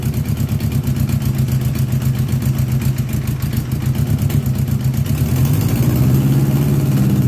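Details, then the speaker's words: 1982 Honda GL1100 Goldwing Aspencade flat-four, sat 3 years, supposedly rebuilt with new plugs, fresh gas: lumpy uneven idle with beats dropping out as revs creep up; starts and runs but not right, a couple of carbs hit or miss. "This is the part I always talk about when I say, "Oh, yeah, it will start and run, but it ain't going to run right.""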